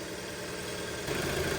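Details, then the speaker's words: 2003 Audi A3 2.0 petrol, just fired up after 10 years unstarted, idling as it warms until the auto choke drops out. Idle is smooth and steady, stepping slightly as it settles, with no ticks or knocks: normal idle. "So not started in 10 years and it fired up after a few seconds. Well done, Audi. I'm impressed. Sounds pretty well, really."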